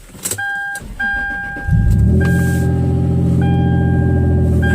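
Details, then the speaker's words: Toyota 4Runner after replacing all three ignition coils to cure P0300 misfire that was worst when dropping into gear; door chime, short crank, then loud open-exhaust idle steady and even with no stumbles; runs smoothly. "oh yeah baby she is smooth yes that's what we wanted that's what I was that was my goal oh yes nice and smooth"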